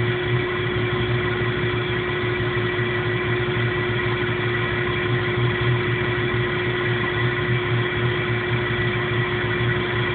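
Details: 1997 Jeep Cherokee with no codes and no engine light: idles with an uneven, stumbling low beat and a steady hum on top; rough idle, cause unknown.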